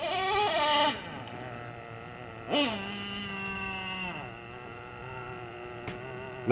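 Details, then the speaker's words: Traxxas nitro RC engine restarted after a hot run, shut off by pinching the fuel line rather than covering the exhaust to avoid flooding: blips with a buzzy whine, then settles to a low, deep, mellow, steady idle without hunting or bogging; healthy idle. "always listen for a nice, good, low, deep idle like that. You don't want it to be super erratic or super boggy sounding, but just a nice mellow tone."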